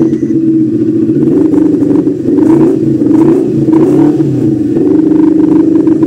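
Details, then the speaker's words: NK400 motorcycle after replacing a badly burnt stator (bike had been dying while riding): engine runs strongly, steady hum swelling with revs, no knocks; voltmeter now reads 14.8 V versus 9–10 V before, charging fixed. "Yan, okay na siya. Nagpo-14.8 na, 14.8 na. Okay na yung charging niya."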